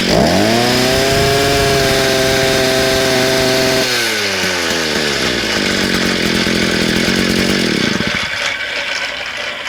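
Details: Small engine, first run after a kink in the fuel line was removed: it revs high and clean, drops smoothly to a steady idle, then cuts off; pulls and idles normally.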